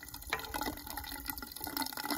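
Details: Watts No. A 200 1/2" trap primer behind the wall behind a washing machine: steady trickling, gushing water that never shuts off; malfunctioning trap primer running continuously.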